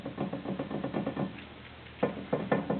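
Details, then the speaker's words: 2012 Jeep Liberty front hub stripped down to the rotor: short bursts of dull clunks as the hub is rocked, no engine running; loose, worn front wheel bearing, to be replaced with a new hub bearing assembly; worn wheel bearing play. "the rotor is not moving on on the uh on the Hub I don't know if you can hear that you can't see it but you can hear it"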